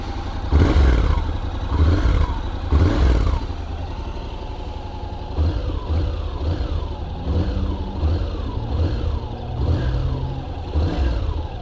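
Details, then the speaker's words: 2021 Honda NC750X DCT after recall fuel-injection ECU software update: clean throttle blips, revs rising and falling smoothly with no stumble; the former low-end hesitation on opening the throttle is gone. "well the throttle definitely seems smoother now there doesn't seem to be that little hesitation you know right when you open the throttle"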